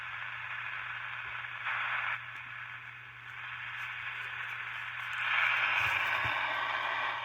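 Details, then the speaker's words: Cheap Satellite 9 De-Luxe MW/LW transistor radio on medium wave, drawing about 10 mA, up to 30 mA at full volume: steady hiss and crackle with a faint station swelling and fading while tuning; weak reception, cause unclear. "sounds like there's some audio there's a radio station there"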